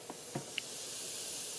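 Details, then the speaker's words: LM386 IC amplifier with a transistor output booster stage, run at 20 volts: after small clicks, a steady soft high hiss with no signal, blamed on gain set higher than necessary and the noisy LM386. "you can hear that or not there's quite a bit of hiss I do have the game probably set a little higher than necessary plus using the allen 36 that's another reason why you probably would want to use an op-amp for less noise"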